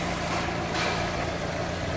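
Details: Fiat Palio, just started after a full service (new engine mount, timing belts, accessory belt, clutch, engine washed): steady, even idle with a smooth low rumble, no knocks or ticks, running cleanly and healthy.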